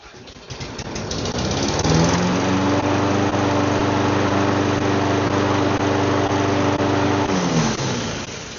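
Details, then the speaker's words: Lawn mower single-cylinder engine that wouldn't start, fixed with carb clean and new air filter: catches and settles into steady, even drone, winds down smoothly. Normal running. "it just needed carb clean and new air filter."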